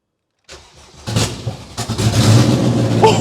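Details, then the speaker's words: Honda Jazz with a swapped-in Civic EP3 Type R K20A 200 hp VTEC engine, first start after reconnecting the earth wire: brief starter whirr, then it catches cleanly and settles into a steady, even idle with a light blip; it works perfectly. "yes yes five come on yes yeah yes yes come on so good yes woo bro it works perfectly"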